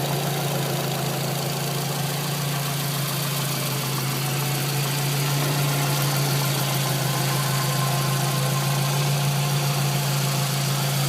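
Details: Scion tC after installing a new water pump, the old one having a gritty bearing that wouldn't spin freely; smooth even idle with a steady low hum, no more scraping or scratching.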